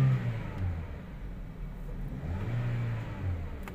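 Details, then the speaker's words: 2017 Toyota Vios 1NR after replacing one ignition coil for a cylinder misfire: engine pulls up through the revs and eases back smoothly with no stumble or jerk; acceleration now normal. "start accelerate natin Okay na ang acceleration niya basahan natin ng scanner obserbahan natin ang ilang acceleration ilang minuto pinalitan lang po yung isang ign coil mga"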